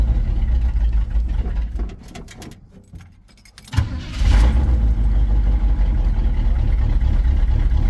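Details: Chevy 350 V8 square-body 4x4 truck after quick fuel line replacement (new hoses had been squirting fuel): a short quiet spell, then the engine catches and settles into a steady, even low rumble; running properly.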